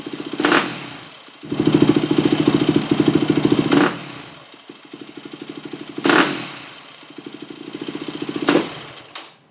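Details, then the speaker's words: 2008 Yamaha WR250F after O-ring mod, pilot jet changed from 45 to 42, fuel screw 1 turn out, hot started: thumping idle, quick blips with brief hesitation; small bog at throttle opening remains, almost dialed in. "Oh, that is almost dialed in. There's still a tiny bit of bog, but it's definitely better with the 42 pilot jet."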